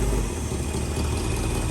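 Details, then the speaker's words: 1967 Mustang V8 after timing reset and vacuum advance reconnected, target idle 600–700 rpm, shifted into gear: deep steady burble holds even beat under load without stumbling; normal idle in gear. "we're gonna put it in gear and see how it idles down or how it how it takes to load rather"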